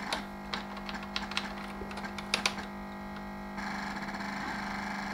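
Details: 1987 Sinclair ZX Spectrum 128k +2 (stock supply 9 V, 2.1 A) run on AA batteries, voltage lowered to about 6.5 V: steady tone breaks into irregular clicks and crackles, then rough buzzing; undervoltage glitching the sound.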